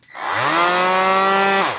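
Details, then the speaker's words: Peugeot Energyhub 18VBL cordless angle grinder, unused 2–3 years, suspected of draining batteries: loud raspy buzz held about a second and a half, far harsher than the multitool on the same base; no gear play, cause unknown. "Ça m'arrache les oreilles, ce bruit. Hein. Il y a quelque chose qui ne va pas."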